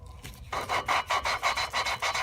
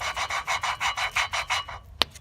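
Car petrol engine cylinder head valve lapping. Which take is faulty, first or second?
first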